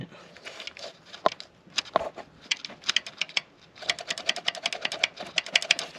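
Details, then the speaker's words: 2013 Chrysler Town and Country 3.6 Pentastar with engine tick. The removed lifter gives quick bursts of light metallic clicking when shaken, showing excess play; its roller bearings appear failed. Worn hydraulic lifter. "so right here we have incorporate you hear all that noise see all that play in that thing"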